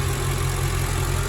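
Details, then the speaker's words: Mercedes ML55 V8 idling after oil catch can install: steady even low burble, no hiss or stumble; suspected vacuum-leak sound traced to dipstick not seating (worn O-ring), idle normal. "Idling fine. It almost sounds like I hear a vacuum leak or something, but oh, that's why my dipstick is out a little bit."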